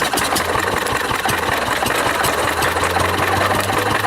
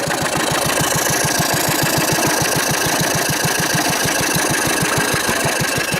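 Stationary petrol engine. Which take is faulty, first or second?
first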